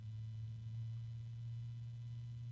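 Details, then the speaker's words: Three-fan unit, bought after the first was returned with a broken fan blade, running quiet: a steady low hum-like whine over the fan noise that grows into a deep hum and shaking; cause unknown, perhaps a worn bearing. "I don't know if you guys can hear it but there's a weird noise I'm assuming it's the"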